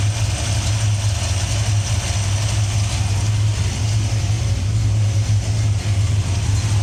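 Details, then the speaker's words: Old coupe with an electric fuel pump, after starting: deep, steady idle with a slightly lumpy, uneven beat and no misses; running extremely rich and needs leaning out. "um sounds weird um we need to lean this thing out a little let's go ahead and do that"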